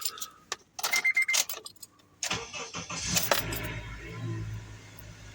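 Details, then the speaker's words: 2003 Honda Element four-cylinder after tune-up with new coil packs, iridium plugs, valve cover gasket, PCV valve, air filter: short crank, catches immediately, quiet smooth even idle, no check engine lights. "oh that's just immediately quieter I just immediately quieter all together heck yeah no check engine lights nothing mad at me boy is that running smooth and quieter amazing"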